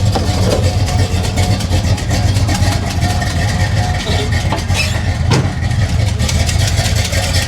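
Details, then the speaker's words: 1985 Chevy El Camino V8 just after a fuel leak was fixed by shortening the hose and fitting a new clamp: a deep, steady idle burble with an even firing rhythm and no misses or knocks, sounding healthy. "she sounds healthy guys that sounds real healthy we got that fuel leak fixed"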